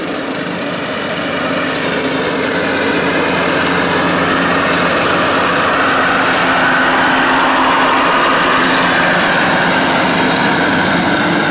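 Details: Cub Cadet lawn tractor mowing with blades engaged, also scraping the lawn and cutting low on one side: steady engine under load with harsh metal-on-metal rasp; worn blade spindle bearings (baleros).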